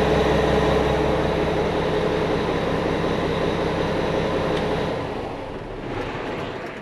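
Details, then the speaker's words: Mack truck diesel after new injectors and major engine upgrades, Jake brakes tested in shop: deep, even rumble winding down smoothly, no knocks or misses, no leaks; runs smoother, Jakes kick in faster; normal running. "well guys everything looks good I don't hear anything that concerns me I don't see anything that's leaking"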